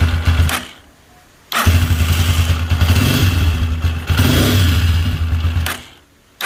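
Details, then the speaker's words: Single-cylinder motorcycle running in bursts with an uneven dragging, scraping undertone that follows the throttle; the noise is traced to the camshaft, though the bendix bearings or rollers can also cause it. "tenemos una moto aquí en el taller que presenta un ruido extraño un ruido de arrastre vamos a ver qué es lo que pasó"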